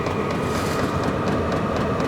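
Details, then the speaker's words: All-in-one diesel camping heater lit and heating: steady combustion roar, constant fan whir and fast faint pump ticking as the pump speeds up again; running evenly. "there's the combustion chamber is definitely on fire that's getting hot the pump just got a little faster even"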